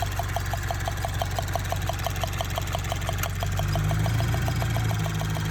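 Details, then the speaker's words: Subaru BRZ (direct injection) heard the day after getting it back: a light, crisp tick about three per second over a steady idle. Owner thought lifter tick or injectors; source unconfirmed. "The next day we start driving the car and we hear like a weird ticking, like a weird tapping noise. It almost sounds like it's a lifter tick."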